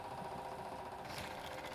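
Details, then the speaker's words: Ford XC Fairmont 351 V8 on engine run stand, electric fuel pump powered up with new fuel line to fill Thermoquad carburetor: quiet, fast, even buzzing hum, no surging; normal fuel pump priming, pressure reached, checking for leaks. "so I can hear it going in I'm just paranoid about it all right so we got pressure"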